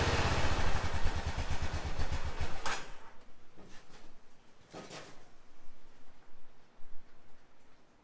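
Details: 2005 Honda TRX650 Rincon quad, 650cc single-cylinder four-stroke, cold start on choke in neutral after a no-run condition, fuel line not yet replaced: quick thumping catch and rev, then a softer, fairly even idle; starts and runs fine, needs warm-up.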